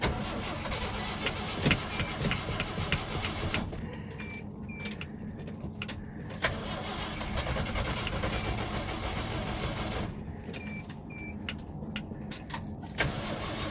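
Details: 1979 Ford truck: starter turns the engine over fast and unevenly with brief catches but it never runs; won't start without starter fluid sprayed into the carb, fuel-starved no-start.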